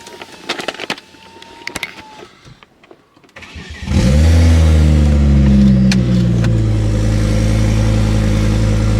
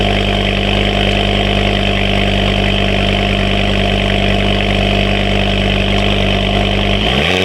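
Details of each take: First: Ford Focus ST/XR5 Turbo after a start, before repair: loud, raw, deep open-pipe idle with an uneven rhythm; severe misfire attributed to an exhaust leak. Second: Ford Focus ST/XR5 turbo petrol after exhaust leak repair: steady even idle, much quieter, no puffing or ticking from the exhaust; earlier misfiring and cutting out improved.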